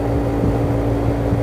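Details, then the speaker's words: Window air conditioner opened up, blower running and drawing room air through: steady, unbroken low hum of constant tone, no rattle or scrape; normal blower operation. "यहां से ventilation है ना यहां से देखिए blower चल रहा है विंडो एक का मोबाइल भी मिल रहा है"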